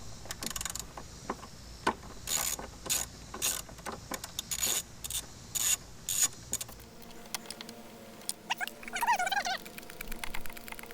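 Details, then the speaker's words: 2000 Yamaha 60hp outboard tilt and trim after refilling with ATF+4, tightening a loose mounting bolt and closing the open manual release valve: clicking, whirring runs start and stop cleanly without grinding, operating normally. "see before it was just getting to like right there cycle it a couple of times so it was good to hear it it's kind of gets stuck all right now do it one more time yeah I think we'll be good"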